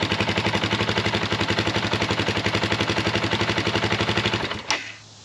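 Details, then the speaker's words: 2004 KTM 450 EXC single-cylinder after rewiring broken wires, since the kill switch previously failed to stop it: crisp, even idle thumping that cuts out cleanly when the kill switch is pressed; it now works. "Kill switch works. That's always good."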